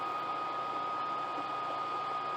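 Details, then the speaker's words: New cheap (under $50) aftermarket heater blower for an old truck, wired straight to a battery: steady even fan rush with faint constant hum, no rattle or scrape; small blower running normally. "It's got a pretty good little fan. Nothing spectacular, but it'll put out."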